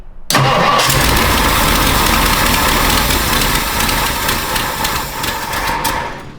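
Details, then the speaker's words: 1962 Thunderbird that sat for 16 years, started after the fuel supply was fixed: loud, ragged, lumpy running that never settles and dies when given gas. It runs really rough and needs a tune-up; cause not yet found. "We got the engine to start and it starts up pretty much every time now, but it runs really, really rough."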